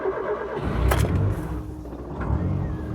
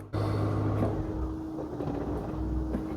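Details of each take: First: Rover Metro (Rover 111) cold start: brief crank, engine catches quickly and settles to a steady rev; starts easily but needs the pedal slightly depressed until warm because the coolant temperature sensor needs replacing. Normal cold start. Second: Cold-started Rover Metro 111 starts easily, then runs with a rough roar that sags every second or so and struggles to idle unless the pedal is held slightly down. Owner says the coolant temperature sensor needs replacing and suggests warming it 30 seconds first.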